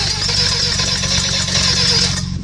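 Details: Mazda RX7 with open turbo, after a kill switch found engaged caused no spark: fast even cranking, the engine trying to catch but never running on its own, smoking; flooded, cranks but won't start, grounding issue suspected.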